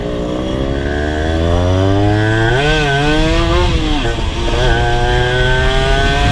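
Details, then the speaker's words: Rebuilt Honda LS125 two-stroke on a ride: revs climb cleanly, then the note wavers and falters through the mid-range, while low and high rpm are fine. Carburation and gear ratio are suspected. "So I don't know if you can hear in the video, but when I open the throttle, so the low RPM or low speed it's okay, high speed is okay as well, but there is a problem the mid-range."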